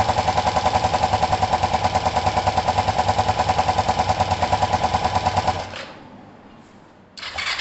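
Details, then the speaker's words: Kawasaki ER-5 twin motorcycle after timing and valve clearance work: uneven lumpy idle about three beats a second with hollow loping note, then cuts out; sounds like one cylinder not firing, though both cylinders were checked hot. Suspected, not confirmed. "It definitely doesn't sound good to me."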